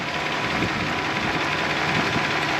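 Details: 1984 Toyota Celica Supra P-type, 5M 2.8L inline-six, 98k miles, 5-speed, timing belt done at least once, slight power steering pump seep; under open hood. Steady smooth hiss-like idle, no knocks or uneven beats; healthy.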